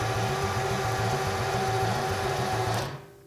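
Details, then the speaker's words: 1977 Jaguar XJ12 Series 2 V12 after replacing stuck starter, hotwired to battery, exhaust off, battery a little flat: even, quick cranking about 3.5 beats per second, spinning freely, low-compression sound normal for V12; healthy cranking. "batteries a little flat but that sounded really good and yes these b-12 do sound like they have zero compression when they're turning over but that's what they're supposed to sound like"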